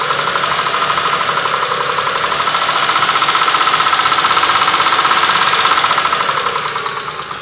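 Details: Mitsubishi 6A13 engine, slightly warmed up: sharp, even metallic tapping about four per second over the idle, steady with engine speed; engine knock when warm.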